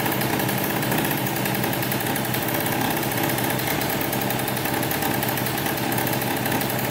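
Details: 2003 Polaris Sportsman 90cc two-stroke ATV after a new top end (piston, cylinder) and oil pump, run with the oil line off to check pump feed. Steady, even crisp buzz with no knocks or misfires; the pump was confirmed pumping oil and the engine runs healthy.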